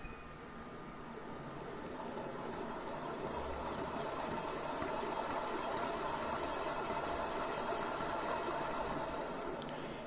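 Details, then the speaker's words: Yamaha Fazer 250 engine split open, crankshaft turned with bearing well oiled: gritty rapid rattling roll, very loud; worn, damaged crankshaft bearing. "barulho não é normal que eu falei rolamento tá bem lubrificado né porque o motor acabou ser desmontado tem bastante óleo e ele tá muito alto esse barulho ó"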